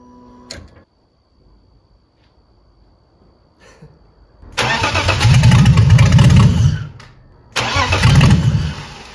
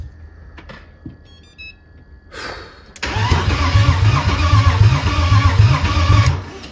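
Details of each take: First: BMW E30 330i first start attempt after fixing reversed fuel pump wiring: two strong cranking bursts, about three turns a second with a firm low churn, fuel now reaching the engine; normal cranking. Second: BMW E30 330i first start after engine build, oil pressure being built: after dash chimes the starter churns slowly, about four compression pulses a second for three seconds, not catching; slow cranking, then slightly better.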